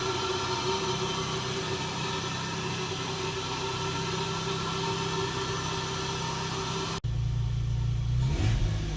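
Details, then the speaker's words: Lexus GS300, 2JZ-GE, after replacing the leaky ECU capacitors: a smooth, steady engine note with even firing and no misses, then a clean change of note. It runs better than it did a couple of years ago. "After fixing the ECU, the car actually ran better than it did a couple of years ago."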